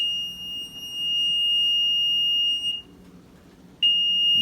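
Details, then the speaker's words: Maytag Neptune washer with suspected bad control panel: long high-pitched beep, short pause, repeating; buttons only beep and it rarely starts, panel not responding, continuous error beeping. "control panel is not responding it's just beeping constantly"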